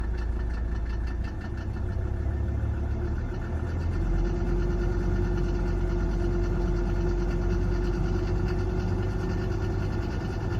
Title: 1991 300D strange engine sounds after timing set to FSM 14 degrees